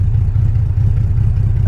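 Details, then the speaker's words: Salvage BMW 325xi E46, all-wheel drive, with open headers and no cats, idling at a stoplight while driving: a very loud, deep exhaust drone with an uneven pulsing beat that sounds close to stalling but keeps running; rough idle, cause unconfirmed. "First stoplight, is it gonna die? Sounds like it's gonna die. It didn't die."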